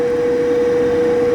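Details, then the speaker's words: Power vent gas water heater, on a middle floor where a quiet fanless direct vent was possible; about 74 dBA A-weighted beside it, like speaking voice, heard easily downstairs. Loud steady mid-pitched whir, no surging; fan very noisy. "That's pretty loud. It's about the same as my voice. If I'm talking right about, right here, right next to it. And so these power vents, you can hear them very easily downstairs."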